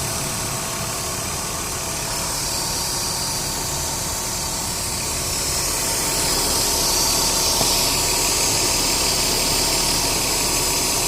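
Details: Duratec 3.0 DOHC V6 idling with AC on max, stumbling about four times a second from cylinder 2 misfire, worse with AC; fixed by new coils, plugs and wires.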